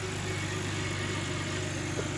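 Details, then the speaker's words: Used car inspection, engine idling with the bonnet open while the serpentine belt runs straight; steady, even idle with a smooth low rumble, no ticking or whistling, engine sounds perfect. "As you can see, engine sounds perfect."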